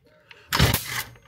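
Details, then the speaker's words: Stihl FS 38 trimmer being repaired, pull start after carburettor adjustments; one pull gives a single sharp bang from the exhaust and nothing after; backfires and won't start; owner suspects carburettor setting, cause unclear. "Vous entendez quand par moment ça pète un grand coup, je vois la pression d'échappement partir."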